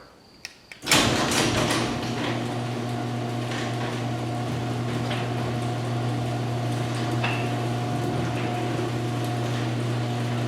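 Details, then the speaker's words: Six-year-old LiftMaster 8365 garage door opener after maintenance (rails and gears re-greased, chain adjusted, hinges, springs, pulleys and cables serviced); steady low motor hum, smooth even chain travel, no squeal or clatter, quieter at end of travel; normal operation. "very nice again much quieter at the end because probably because of the trolleys springs sound nice and quiet as does the door itself very very good"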